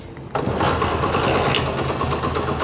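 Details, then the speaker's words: Honda CD70 Euro2 motorcycle after repairing head cam noise, with the cam bearing replaced and adjusted. It kick-starts quickly into a light, even idle with no cam clatter or tappet tick: normal start and idle. "तो भाई हमारी यहां पर start हो चुकी है और उसकी आवाज भी बिल्कुल ठीक हो गई है मैं कोई किसी संग इसमें परेशानी नहीं है"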